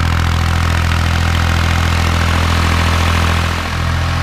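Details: Kubota B7100 diesel tractor driving a NorthStar PTO generator at about 4000 W; steady, even drone holding speed under load, no knocks or hunting. Normal running under load.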